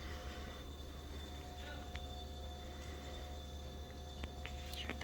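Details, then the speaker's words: Panasonic BB53 refrigerator with steady low hum, thin constant whine and faint clicks coming from the rear; cause unknown. "Olá pessoal vocês estão conseguindo ouvir esse barulho se Sim este barulho está vindo da geladeira"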